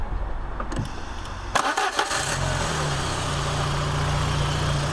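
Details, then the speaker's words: Peugeot 306 Meridian 1.8 16v petrol, sat through lockdown, new battery fitted: short crank, then it catches cleanly and settles into an even, steady idle with no knocking; healthy start. "starts incredibly easy and has no real nasty knocking noises or anything like that"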